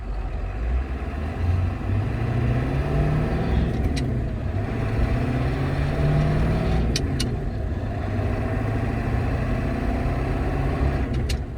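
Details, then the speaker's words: ZF5 manual transmission before shift tower replacement; sharp light clicks at shifts, notably second to third when moving into neutral, despite new properly seated bushings; worn shift tower/top shifter column letting the lever wobble and knock. "hear that click when it goes from into the neutral. Obviously there's a click when it goes in gear, but it was pretty annoying"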